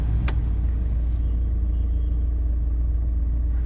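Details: VW T5 van heater blower on speed two after unit removed and greased, temporary fix; even whoosh over low engine rumble, squeal gone, occasional catching or rattle noted; normal heater blower operation.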